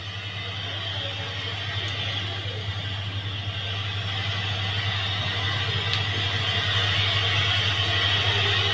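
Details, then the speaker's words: Samsung CRT TV, sound just restored via service menu: the speaker gives steady hissing static with a low hum instead of clean sound, from a faulty or mistuned sound IF stage or coil needing trimming or replacement. "mendengar suara dan gangguan statis seperti ini, teman-teman."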